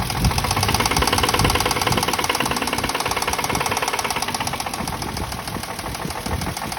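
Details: Toyota Mark II engine with a steady, rapid internal knock at about three to four raps per second over the smooth-running engine; cause not stated.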